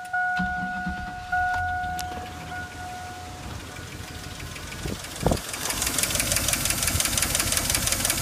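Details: Chevy/GMC V8 (4.8/5.3/6.0) truck, running with valve cover off after cleaner sprayed down pushrod holes: quick light tapping about three a second over the idle, steady with speed; dead collapsed lifter, damage already done.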